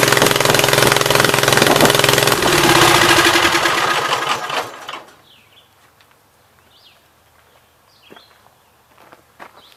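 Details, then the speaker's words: 1976 Gravely 816 restarted after a dose of penetrating spray (Blaster): rough, uneven running for about four seconds, then dies to silence and birdsong, with the left cylinder only partly firing. "So it's kind of running on that left side now, but not totally."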